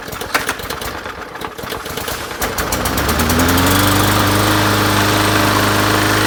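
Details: Bolens MTD 450e 125cc push mower after carburetor cleaning, new spark plug, oil change and fresh fuel: some rattling and handling, then it fires and settles into a steady, even drone of constant pitch; runs healthy.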